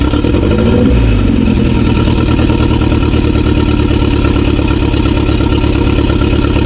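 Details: 2016 BMW 428i xDrive (F32) petrol engine started after owner's checks: uneven, stumbling idle with irregular pulses, misfire still present; cause not yet found.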